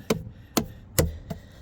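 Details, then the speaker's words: Tesla Cybertruck aero wheel cover (recall replacement) after pushing in a center that was bulging out: four sharp taps ring solid and metallic rather than drum-like, showing the cover is now fully seated. "So yeah, it was bulging out earlier, so I did have to push that in all the way. You can hear the difference. Now it sounds more metallic than a drum."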